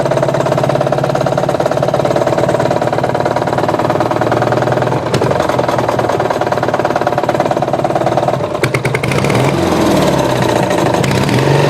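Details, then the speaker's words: Murray riding mower engine at lowered idle, ran low on oil and connecting rod came loose; crank worn: steady hard knock about three per second over the run; rod knock, owner considering engine replacement. "so there you go thinking about replacing the engine it's got that knock in it because the crank is worn"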